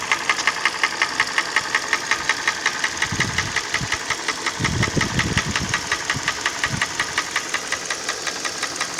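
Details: Hyundai ix35 petrol engine at idle: crisp, very regular knock about 170 per minute over smooth idle; internal engine knock, source unknown.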